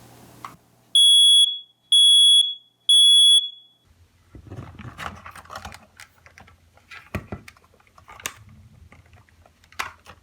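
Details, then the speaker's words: Old hardwired, interconnect-capable ceiling smoke alarm being test-activated before replacement: three loud shrill beeps about a second apart, then handling noise; test cycle works normally. "Let me go ahead and activate this. Do a quick test."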